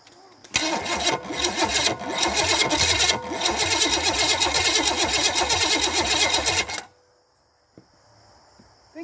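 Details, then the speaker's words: $50 Chevy 305 small-block of unknown history, points distributor, first start attempt: steady starter cranking at about three compression beats a second for six seconds without firing; crank no-start, with more fuel and more timing suspected as needed. "tried we'll need more fuel do you have any fuel hook to it no i'm just seeing if it'll spark off"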